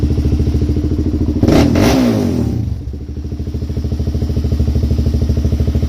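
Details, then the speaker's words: DVX400 quad riding after switching back from a 172.5 to a 160 main jet, which cured the rich running: even thumping, crisp throttle blip, quick return to a steady beat; normal running, carburetion dialed in. "So much better. I think we got her. Yeah! Got her dialed."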